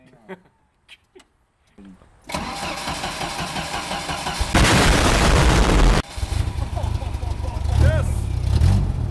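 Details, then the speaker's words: 1986 Jeep Comanche MJ pickup, 2.5L, 4-speed manual 4x4, started cold after refuelling from empty; a few quiet clicks, then it catches and settles into a steady, even low rumble; healthy start and idle. "That's a nice rumble. Sounds good. I know, not bad, right?"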